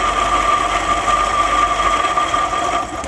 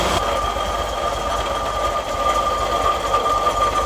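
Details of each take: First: MGB GT twin carbs being tuned after setting the timing: lifting the carb piston makes the idle falter and sag toward a stall, with no pickup. The mixture is weak on both carbs, so each is to be richened a quarter turn. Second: MGB GT engine idling evenly and steadily with no stumbling or hunting after ignition timing and twin-carb tuning; cylinders showing even-ish blue, previously stalled when pulling away.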